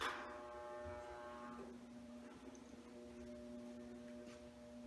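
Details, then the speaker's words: Vintage Sears Tri-Heat radiant/fan-forced space heater on high with the thermostat on: steady low electrical hum with no airflow; the fan motor is energised but not turning, believed seized by old oil residue in the bearings. "and you can see here in this little bit here that this fan is not turning over at all like i said i think it's just seized up with old oil residue and it needs to be freed up"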